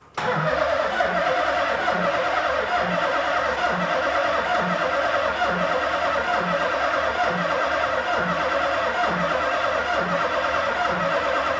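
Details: Nissan VH45 supercharged V8 swapped into an S13, first start attempt on jump pack: steady starter whirr with even rhythmic churn throughout, never catching or firing; crank no start because the ECU is not powered.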